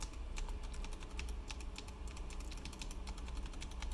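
Quick uneven key taps with a loose, clacky rattle on each stroke; the shift stabilizer stem is too thin and the wire is loose.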